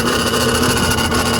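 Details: BMW N54 engine at idle: rough rasping grind over a steady idle, constant and not tied to throttle, from the accessory drive; owner suspects the A/C, source unconfirmed.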